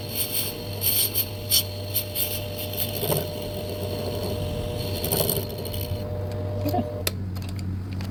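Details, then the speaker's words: Lathe boring the ID of a bench block to the back wall: a harsh ringing squeal and scraping rattles over the spindle hum; boring chatter, though the resulting bore looks good. "Oh, it's a beautiful bore. It sounded like garbage, but you know what? It looks good."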